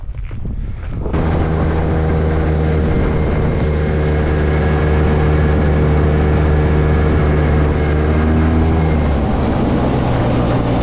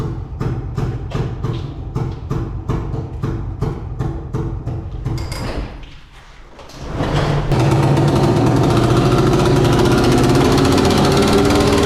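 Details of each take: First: Old two-stroke Polaris 6x6 after a budget rebuild, restarted after refuelling; steady droning note at constant speed without misses or rattles; normal running. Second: Old two-stroke Polaris 6x6, about 1996, working only in low gear: uneven lumpy beat near 160 a minute at low speed, then a loud ragged rev with no clean note; running badly.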